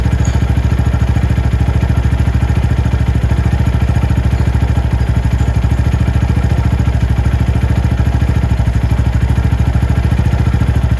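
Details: Venom X22R Max 250cc fuel-injected single-cylinder motorcycle at an idle judged perfect, set by the throttle body idle screw. Steady, even putter at a constant low idle with no hunting or misses. Normal idle.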